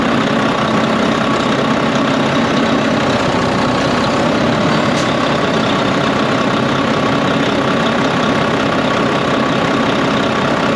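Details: Volvo VNL D13 truck idling after a new O-ring was fitted and the nuts tightened. The loud windy noise from the pipe, heard after an accident, came from a crimped, improperly seated O-ring. Now a steady, smooth diesel drone with no whistle.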